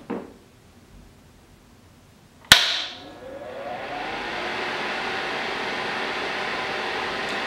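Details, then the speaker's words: HVAC training board, thermostat bypassed by jumping R to G: sharp relay click, then soft rising whoosh settling into steady even airflow hum; indoor fan starts normally and stops when the jumper is pulled. "and you can hear the fan you can hear the fan running and if i pull off the jumper cable you will see it will stop"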